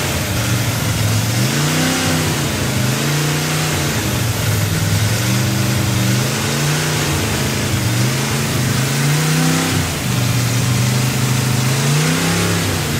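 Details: Freshly built 283 V8 on its first run, with a vacuum port left unplugged: revs surge and sag with a lumpy, hunting idle. It sounded better with a hand over the carburetor while the owner richened the mixture to compensate. Large vacuum leak.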